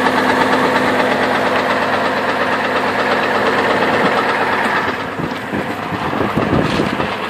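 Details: 2002 Chevrolet Trailblazer petrol engine at idle with belt removed, ruling out water pump: sharp regular knock about three times a second persists, pointing to worn rod bearing; rod knock.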